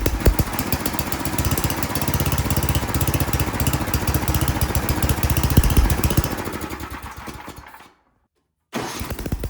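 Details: Ariens snowblower sat years in barn, after fitting a temporary fuel line: crisp even rapid firing, steady speed, no misses, brief cut; runs like a champ, normal running.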